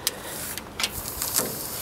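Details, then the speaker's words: 1944 Ford 2N tractor, old starter tested via a switch button: sharp irregular crackles and snaps with no cranking when pressed, arcing somewhere in the starter circuit; owner suspects a bad ground, cause unconfirmed. "oh no she's frying something something doesn't like that okay we won't use the button then"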